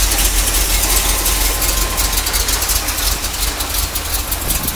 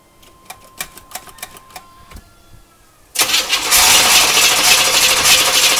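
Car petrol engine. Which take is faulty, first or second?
second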